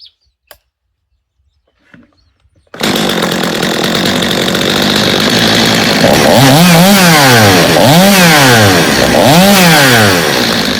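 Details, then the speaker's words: Stihl chainsaw reassembled after a no-start from an old carburetor and fuel line: fires up to a crisp, even two-stroke snarl with smooth rev swings and no stumbling, needing little adjustment; normal running. "I think we got a good running saw there I think the owner will be happy with it I didn't even have to do much adjusting on it so that's a good thing"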